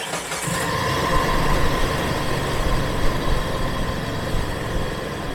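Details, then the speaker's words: 2002 Jeep Wrangler TJ 4.0 engine started after replacing the serpentine belt's tensioner and idler: catches and settles into steady, even run with no squeal or chirp; accessory belt drive now works properly. "Alright. Everything works like it's supposed to."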